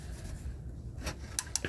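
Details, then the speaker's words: Ford Focus with code P287A (clutch B stuck engaged), hard shifts and no reverse: clutch fork turned by hand cracks and pops at tight spots and won't return; fork seized, clutch job needed. "hear it cracking and popping unfortunately it needs a clutch job"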